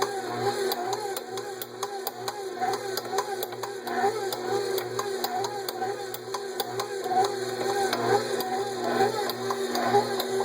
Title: Kitchen aid mixer making loud clicking noise